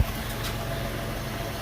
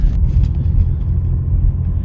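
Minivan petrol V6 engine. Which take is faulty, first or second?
second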